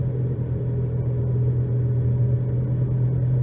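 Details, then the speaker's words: 2011 Nissan Rogue FWD with new balanced tires, coasting near 30 mph off throttle before replacing both front hub bearings; steady, deep droning hum holding constant, with significant road noise and vibration; worn front wheel bearing. "This is floating at around 30, so I got a pretty significant amount of road noise there and vibration."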